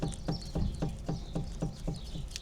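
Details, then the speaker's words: Mercedes R172 SLK/SLC raised, front wheel rocked at 12 and 6 o'clock: sharp clunk about four times a second from excess play in the tapered front wheel bearing; needs bearing adjustment. "Right, I'm going to check the wheel bearing for play, so hold the wheel 6 and 12 o'clock position and wobble it. And I can hear the play straight away."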